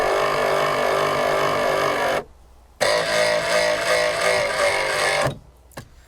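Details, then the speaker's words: Rear-left roof lift motor on a Forest River Palomino SS-1251 pop-up camper, microphone close: whiny run with a gritty, sandy edge, stopping and restarting, rougher than the other three; owner suspects the gears need cleaning and lubricating. "that's not nearly as smooth as the uh the other three it almost sounds like there's sand in the gears or something like that the motor's still working but I think maybe the gears need to be cleaned out and lubricated"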